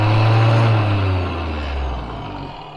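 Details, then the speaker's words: Repaired windlass on a 65-foot Hatteras yacht, first run after installation with key switch: heavy low droning hum that sags and fades; sounds weird; unusual motor noise, cause unclear. "Wow, that sounds weird."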